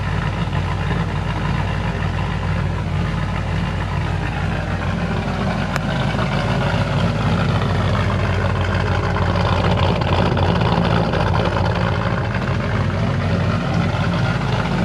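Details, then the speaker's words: Holden VN SS after exhaust leaks and cracked welds repaired, no mufflers: loud, steady, even idle with deep open burble, no puffing or ticking; healthy engine. "definitely happy with how the exhaust has come out still very loud"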